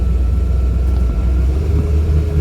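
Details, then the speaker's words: Boat sterndrive under way after fixing missing upper exhaust bellows, bad gimbal bearing and frozen U-joints: deep even rumble, no knocking or grinding, much quieter than before; normal running. "thing is so much quieter it's like a prius compared to what it was before"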